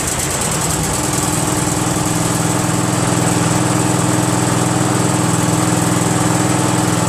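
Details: Craftsman GT6000 tractor repowered with Briggs & Stratton Vanguard 16HP horizontal-shaft V-twin, after throttle cable connected; smooth even run at steady speed, regular beat, no knocks or hunting; normal running.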